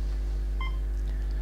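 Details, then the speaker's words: Dynascope DS-8007 transport patient monitor with the sync tone set to auto: a single clean mid-pitched beep over low mains hum, the pulse-synced heartbeat tone working normally. "if I select auto you can hear that that beep beep tone or the synchronized mark tone is on"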